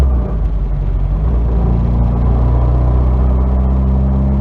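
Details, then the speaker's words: 1992 Nissan 240SX hatch with a bad clutch, clutch pedal pressed down: steady low engine rumble with a rough, uneven rattling and scraping on top, no clear knock rhythm; symptom of a worn clutch, replacement parts on hand. "This is 92 Nissan 240SX. And show you a symptom of a bad clutch."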